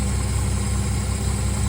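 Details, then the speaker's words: 1965 Dodge Dart GT slant six, base timing set to 1 degree and mixture screw about a turn and a half out: even, regular low pulsing with no stumble, a much smoother, happier idle. "that's timed at one degree base it might like a couple more degrees some Slants do this is a good place to start it's much much smoother and happier"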